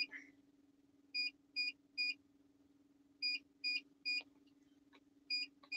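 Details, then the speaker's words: Truck APU inverter under hot-plate load: short high beeps in uneven groups over a steady low hum; alarm keeps sounding, cause unknown, driver calls the new inverters junk. Inverter alarm beeping. "yeah these new these new inverters are junk are junk"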